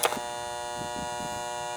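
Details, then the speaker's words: Air conditioning condenser unit during annual maintenance; contactor humming with steady high even electrical buzz, nothing mechanical behind it, needs replacing; capacitor reading low (32.16 vs 35) also to be changed; 24 volt coil. "So that's gonna be changed. And I gotta change this. This thing's humming away here."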